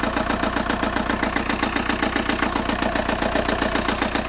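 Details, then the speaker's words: VW Golf GT TDI diesel idling with a sharp even tap about 2.5 times a second over loud clatter; noisy with an unidentified issue, though coolant and oil levels fine and no overheating. "you can hear it's a bit noisy but you could drive this away and you probably could drive it uh you know 100 miles or so and it might be fine but you know it's got an issue"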